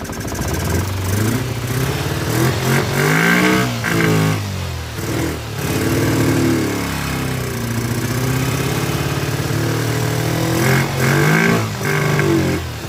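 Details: Kawasaki Ninja twin on project restoration, just fitted fuel splitter with temporary fuel line to both carburetors, flooding at start: barely holds idle, uneven stumbling firing, revs surging and sagging with each blip; rough running, carburetors suspected as main issue.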